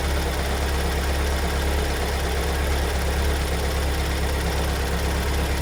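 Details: 2022 Kia Sorento MQ4 2.2 diesel, cold start after two weeks in dealer service: loud steady idle with a heavy repeated knock close to two a second; new cold-idle knock, cause unknown.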